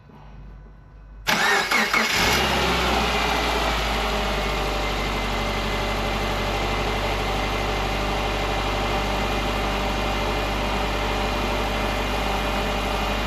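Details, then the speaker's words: 2010 Subaru Forester non-turbo, first start after the engine was repaired for a timing belt broken at 8000 miles and reinstalled, fuel primed: brief crank, fires, flares, then settles to a smooth, even idle with no knocks or ticks; healthy start. "And then we'll turn it over and see if she starts. Alright, we got fuel pressure. Let's go ahead and fire it up."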